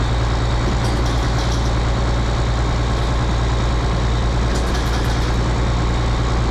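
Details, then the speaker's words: Rebuilt 8.3 Cummins diesel in a Case IH 2366 combine, straight pipe, first run after rod failure repair: deep steady drone, even beat, no knocking or stumbling; choppy at first, now smooth. "yeah it sounds good to me like it was it was choppy a bit at first I meant it smooth out and all the smoke is going so yeah"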